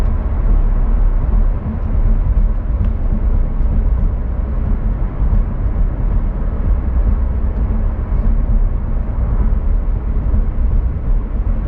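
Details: Rear wheel bearing after replacement: steady low road rumble at speed with no growl or hum rising and falling with speed, compared against the noisy bearing before replacement; normal wheel bearing road noise.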